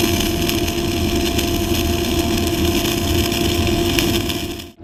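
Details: Kemppi X5 MIG-MAG set at 180 A, 23.5 V, dynamics 0, 1-MIG synergic mode, flux-cored wire, Messer C18 gas at 10 L/min, vertical fillet weld: steady even frying crackle with no sputter or popping; normal stable arc.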